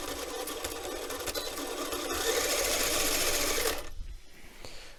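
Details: RC car, first battery test after replacing the dead rear differential with a new one: a smooth buzzing motor and gear whine builds and holds evenly about four seconds before stopping, with no clicks from the differential. Normal drivetrain run.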